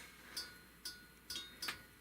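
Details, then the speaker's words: Primus Classic Trail Stove (model 2243) just turned off after boiling one liter of water: faint bright pings, about five in two seconds, from the very hot stove and pot cooling down; normal. "Crank that down a little bit and off can you hear that that pinging that's the the sound of hot"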